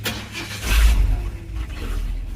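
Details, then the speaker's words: 1976 Ford F100 V8 after carb tune: short low grumbling churn as it cranks and fires; ignition timing suspected slightly advanced, perhaps a degree over. No muffler, and the intermittent rattle is the PCV valve. "that uh timing might be slightly Advanced you could hear that little Grumble when it tries the"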